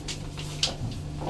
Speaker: noisy lift I don't know what that noise is